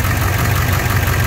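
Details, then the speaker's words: International T444E diesel truck, 11,536 hours, 90,667 miles, ex-service truck, start before blow-by test: cranks easily, settles into steady even low rumble with no knocks or misses; normal diesel idle. "so the engine cranks up no problem real easy start"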